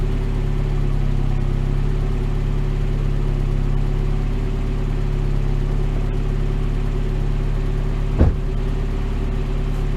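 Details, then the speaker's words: Mazda Miata at steady, even idle just after new NGK spark plugs and plug wires, previously running rough; no stumbles or missing beats, fired up better, one brief thump and a new weird tick noted. "Oh my god. Do you hear the idle? It's so much better. Weird ticking now. But the idle's so much better. It fired up way better."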